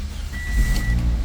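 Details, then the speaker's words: 2005 Toyota Corolla, previously crank-no-start with immobilizer security light blinking, started after alarm wires tapped into the immobilizer antenna were disconnected. Engine catches cleanly and settles into a steady low idle with a brief electronic chime; normal start. "we are able to start it see everything work fine"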